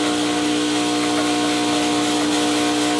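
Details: Vibiemme Electronic Super HX espresso machine during detergent backflush with a blind basket: steady loud electric buzz as the vibratory pump builds pressure, normally settling to a hum at pressure.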